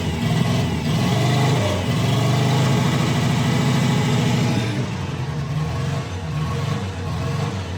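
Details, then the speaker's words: Subaru Sambar KS4 after a no-start fix, coil, distributor, fuel pump and carb confirmed good: revving with an uneven, stumbling beat of about four pulses a second that never smooths out. Rough running from worn plugs, one cracked in cylinder two. "it's running but not great we do need spark plugs"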